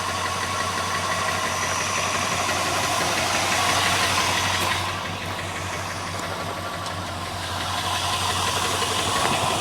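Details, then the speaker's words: 1981 Chrysler Imperial coupe V8 at warm idle: even idle with a light, quick lifter tick; compression good, owner leaving it for now. "sorry for the uh lifter tick good compression I'm not doing a darn thing about it until I need to"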